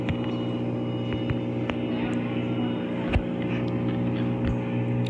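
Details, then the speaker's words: Maytag Bravos XL Steam top-load washer, spin cycle, drain pump motor kicking in before spin speed picks up: steady low motor hum with a few light clicks; normal drain pump operation. "could hear that drain motor kicking in that's the drain before the speed picks up"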